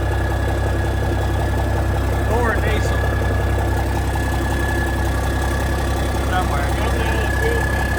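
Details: 1987 cabover truck diesel idling cold just after its first start in years, oil pressure about 40: normal injector clatter and a constant drone, no stumbling or knocks. Healthy; normal idle.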